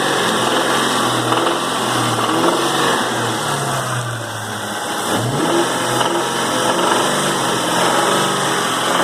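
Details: 2001 Cobra 4.6 4V engine, 78,600 miles, noisy under light load. Revs swing between idle and mid range with uneven knocking-tapping, about four per second at idle: engine knock needing diagnosis.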